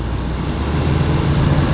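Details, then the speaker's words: 1976 GMC Vandura 3500 motorhome V8, carburetor still cold, driveway run after new cables: deep, steady low rumble with no knocks, ticks or exhaust puffing. It runs smooth, strong and quiet; normal running. "Now, you hear how smooth that's running? Won't push it yet. Again, carburetor's cold. Well, she seems good in the driveway. Strong. Wow, I can't believe she's so quiet."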